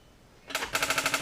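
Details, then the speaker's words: Audi B5 S4 after complete overhaul with modified intake manifold, first start attempt; starter spins in a rapid even clatter about ten beats per second with no catch; cranks but won't fire because the battery is weak. "Yeah. Well, the good news is it cranks. It ain't gonna fire. It needs more juice."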